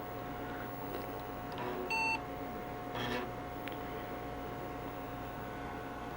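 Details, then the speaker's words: Two IBM Portable 5155s started at the same time before a CRT swap: one short startup beep over a quiet fan hum, this unit's beep sounding different from the other's, cause not known. "hmm there beep sound different how about that dose that vs that"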